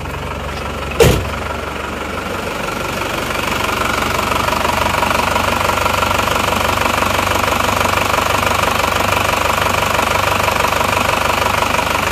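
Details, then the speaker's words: Isuzu Panther diesel, non-Euro-2 engine from Probolinggo, just rebuilt after overhaul, not yet tuned, cold: even diesel clatter at idle, about three beats a second, steady and smooth; Euro 2 version with double timing gear damper considered quieter; normal idle. "Saya rasa yang eururo 2 itu itu lebih halus suaranya perbedaannya hanya di berada di gigi timingnya saja"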